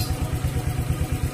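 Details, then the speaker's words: Honda Vario scooter that died on sudden acceleration, after cleaning the air filter with petrol and refitting it: quick even putter with steady low beat, no misses or stumbles; idles smoothly. "The paper looks like it's been removed , but it's still attached, so the sound is still smooth, it doesn't get loud if you don't use it."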